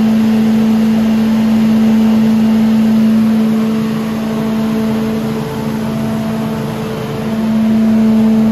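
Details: Billy Goat leaf vacuum after impeller replacement, service and new pull cord: small single-cylinder engine holds a steady, even drone with a clean fan hum, impeller not hitting anything; running healthy.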